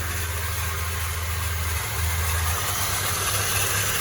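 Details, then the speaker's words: Peugeot Partner at steady idle after an oil change: a faint whirring rumble under the engine note, quieter than before, from worn timing belt tensioner and idler bearings; noise persists with the fan belt removed; timing belt to be replaced since its age is unknown. "ya, sudah jauh daripada kemarin, tapi mau dicek lagi sekalian ganti timing belt."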